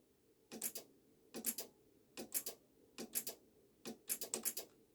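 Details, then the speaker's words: BMW ABS pump with code 5DF0, motor bench-tested at 12–12.4 V: sharp paired clicks about once a second with no running hum, so the motor is seized. Brushes stuck against the commutator are suspected. "no that's dead there's a dead out you can just about here i don't know if the camera's gonna pick it up that's seized so i'll turn the power supply off before so i believe that the um the brushes are stuck against the commutator"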